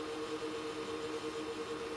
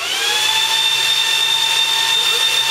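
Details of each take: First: Supermicro X9DRH server in X-Case RM 200 Pro with 80 mm temperature-controlled fans, loading an OS: low steady fan hum, no rattle or grind, mostly CPU coolers not PSU; quiet, normal. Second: Supermicro X9DRH server in X-Case RM 200 Pro, 80 mm temperature-controlled fans: loud high-pitched whine climbs then holds flat, fans at full speed as the processor heats, later calming down; normal ramp-up.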